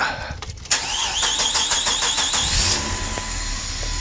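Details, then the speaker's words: 2003 Chrysler Sebring 2.7 after used-engine swap: brief crank, then catches and settles into steady idle only with cam sensor unplugged; won't start with it connected. Cam pattern reads wrong, mismatched cam sprocket suspected after timing chain set replacement. "just to prove that it'll run it'll start with that disconnected i disconnected it just tight to get in there and take this out because it won't start with with that so it will have an extended crank"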